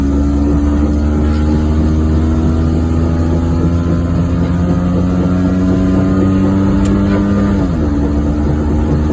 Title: Just A Drive 1994 Geo Metro for a short drive(bad wheel bearing)